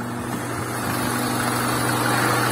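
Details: VAZ 2110 8-valve injector, previously no idle and no start without gas pedal; after replacing the idle air control valve, smooth even low hum, revs rising slightly on their own and holding; normal idle.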